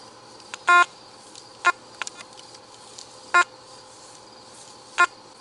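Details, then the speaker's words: Makro Racer 2 metal detector in deep mode with gain turned to maximum: short, uneven false beeps every second or two over a quiet hiss; chatter caused by the maximum gain setting. "I'm turning gain all the way up. Heck with it. Notice how chattery it is now though."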